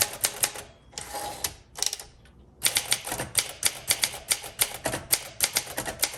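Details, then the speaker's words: 1962 Olympia SM5 manual typewriter, rough-looking but mechanically sound, typing a test sentence: crisp, even key strikes in quick bursts with clean carriage action, no drag or sticking; normal typing. "It looks rough, but it's probably one of the best typing machines I've typed on in a while."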